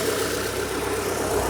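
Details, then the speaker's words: 1997 Rover 200 R3 with K-Series petrol engine, idling, head gasket believed done: smooth, even, steady hum with no knocks or ticks; normal idle. "Listen to that engine purr."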